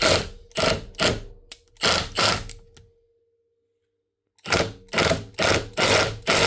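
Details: 2021 Milwaukee M18FID2 impact driver, clamped in a vise: bursts of sharp rattling hammer blows, about two a second, with faint clicking underneath; the impact balls are intact, and the noise comes from a tiny speck of grit on the gear teeth, fixed by strip and clean.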